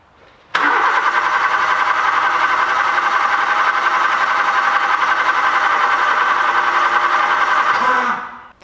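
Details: Nissan Micra 1.2i, code P0340 camshaft position sensor circuit, cam sensor signal back-probed with good power and ground: starter spins engine evenly about seven seconds, never fires; crank no start from faulty camshaft sensor with bad waveform.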